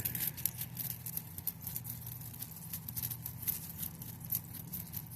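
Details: Bicycle chain soaked in thinner, rinsed in isopropyl alcohol and dried, hung and shaken sideways: dry, crisp rattling hiss in quick irregular bursts; clean chain with no grit left in the links.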